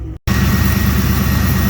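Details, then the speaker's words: Ford 4.6L/5.4L V8 after tensioner and idler pulley replacement: steady, smooth idle with an even low beat and no squeal, chirp or rattle from belt or pulleys; healthy. "there we go as you can see everything's running smoothly as it should be"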